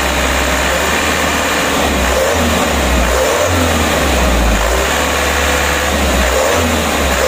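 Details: Mitsubishi Canter diesel after plunger replacement for hard starting: steady idle beat picking up cleanly on a couple of revs and settling back, no misfire or knock; running better, engine shake reduced.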